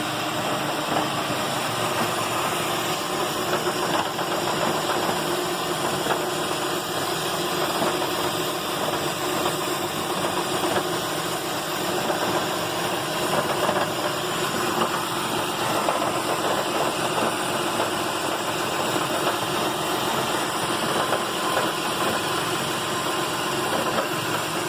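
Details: 2008 Lexus RX 400h hybrid petrol engine, warm, running on in P after stopping until it shuts itself off, with a fast dry rattle over the steady hum; also happens at stops in D. It began after replacing spark plugs fitted for a similar rattle after cold starts; cause unknown.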